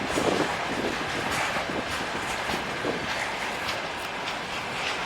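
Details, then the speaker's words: Russian freight train passing: rattles over the rails with a roughly once-a-second tuk-tuk thump from one wagon; suspected brake pads clamped the wheel while braking, unconfirmed. "И вот он сейчас едет и тук-тук, тук-тук, тук-тук колбасит."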